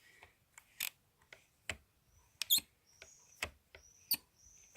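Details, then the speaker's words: 2004-on BMW R1200GS clutch lever pulled repeatedly: thin high squeaks among light taps with no crisp switch click, unlike the brake lever; sticking clutch switch suspected as cause of no-start, to be cleaned and realigned. "click but you can hear a squeak so I'm gonna get up under here and give it a bit of a clean-out"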